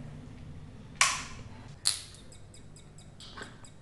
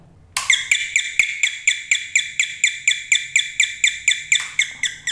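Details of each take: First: Doorbell under repair, powered on for testing: two sharp clicks, then only a faint, thin chirping where a full chime should ring; weak, faint doorbell chime. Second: Home doorbell after repair, having failed from a bad capacitor and a broken solder joint that was resoldered: bright electronic chime repeating cleanly about twice a second, each note even; doorbell working properly.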